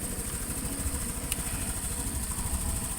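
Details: Honda Click scooter, charging system checked at 14 volts: even low putter at idle, no knocks or rattles over a steady background hiss; idling smoothly and healthy.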